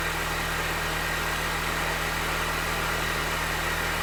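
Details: R53 Mini Cooper S first start after replacing rod bearings and rod bolts for a spun bearing: smooth, even idle with a steady hum and no knock. The bottom end sounds healthy and the rod knock is cured.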